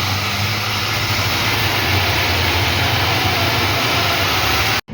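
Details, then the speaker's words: Backwash of a purified-water refilling machine's filter tank, auto head switched on: steady rushing water hiss with a low hum underneath, even and unbroken; normal backwash operation. "Yung laman niyan, yung tunog na yan, narinig nyo? Yung tunog niyan, ibig sabihin, pinaghalo-halo na niya yung mga carbon sa loob, sa ilalim."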